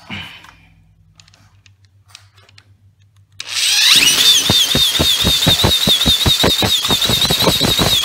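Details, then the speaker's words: Small two-stroke string trimmer with damaged pull cord, started by spinning the head with a drill and rubber-lined hole saw: after a quiet spell catches and holds a steady high-pitched buzz; normal running. "go here we go so there you go successful i demonstrate how to start a trimmer easily without a post poke cord"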